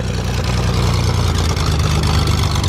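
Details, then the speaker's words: 2006 Zodiak 601XL SLSA light aircraft six-cylinder engine, sitting 8 years: deep even six-cylinder rumble at steady idle with no knocks or misses; normal idle. "that sounds meaty. That is so cool with it being a six cylinder. It really has a nice sound to it."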